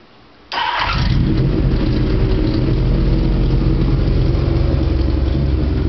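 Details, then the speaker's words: Engine near 2,000 rpm: a light, quick ticking at three or four ticks a second over a lumpy high idle. It stops when revved a little, so it is thought not to be an exhaust leak; the ignition units were suspected at first, and the source is still unknown. "sounds like an exhaust leak sounds like an exhaust leak that little ticking sound yeah I can switch it off with the throttle now"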